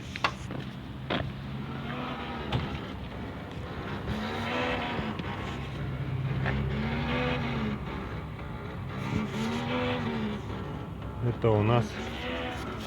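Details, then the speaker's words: GAZelle with headlights switched on, engine idling: one headlight "sings", a warbling buzz continuously rising and falling in pitch from the headlight leveling (corrector) motor hunting. "Это у нас вот эта фара поет песню."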